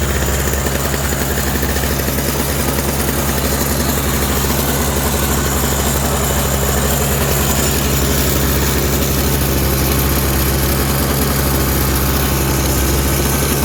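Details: Toro CCR 3650 two-stroke snowblower after primer bulb replacement, electric start: steady, even buzzing beat around four pulses a second with no stumbles or misses; running smoothly and healthy.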